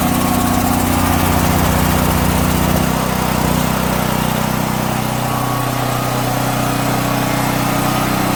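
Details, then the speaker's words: DuroMax portable house generator on gasoline, fuel valve opened, idle controller on: loud, steady run settling to a lower even speed with no misses, not yet warm; normal running, so the no-start is on the propane side. "alrighty if you can hear me because it's quite loud but the idle controller on voila gotta warm up but she's running so at least we know it's the propane"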